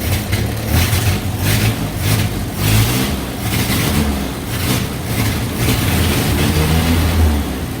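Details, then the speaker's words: 1966 Kaiser Jeep CJ5 farm-auction revival, dwell about 25 with inconsistent points while adjusting distributor timing: engine revs unevenly in surging bursts, stumbling under throttle instead of picking up cleanly; stumble on acceleration, cause suspected points/distributor, not confirmed. "Oh, it didn't like that at all. I mean, how can something drive like that?"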